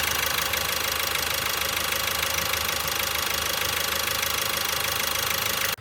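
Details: Opel Astra J 1.6 CDTI diesel (B16DTH) after engine overhaul, auto stop-start disabled, heard from outside in rain: fast, even diesel clatter at steady idle, no stumble or shake before cutting off; runs well.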